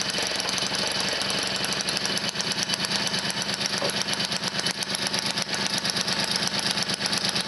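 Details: Motobécane 51 VS moped, 1978, two-stroke running after a full rebuild (new rings, bearings, seals, clutch, points, condenser) following thirty years seized; crisp popping at a steady, fairly even rate, no knocks or scraping; healthy.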